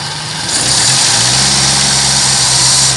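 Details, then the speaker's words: Toyota K-series engine on its old 3K carburetor, last run before swapping to a 4K carb: steady engine note under a strong airy carburetor intake hiss, even throughout with no misses or knocks. Normal idle; only performance is lacking. "Okay naman tong andar nito guys, maganda yung idle, maganda rin yung kanyang acceleration."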